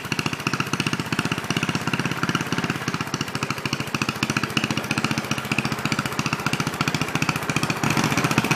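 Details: Original 1963 Cub Cadet single-cylinder on its first drive after clutch work, stack fitted: sharp, steady exhaust pops with an even rhythm; normal running.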